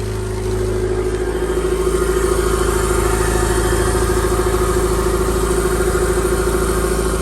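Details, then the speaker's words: Honda D-series in EF Civic/CRX, MPFI swap with Skunk2 intake manifold, 70mm throttle body and new cold air intake: cold start catches and settles into steady, even idle with smooth pulse, no knocks or misses; "everything's solid." "All right, we're gonna cold start it. Sounds good, everything's solid."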